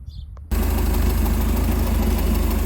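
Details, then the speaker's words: 1987 Bayliner Capri, converted to Holley Super Sniper 2300 EFI, first run after setup: steady, evenly spaced low thump with no misses, idling where it should in open loop without oxygen sensor; idle position possibly a little low. "but it's running an open loop with no oxygen sensor idle position sensors maybe a little low i might back that off a little bit more but it's idling right about where it should"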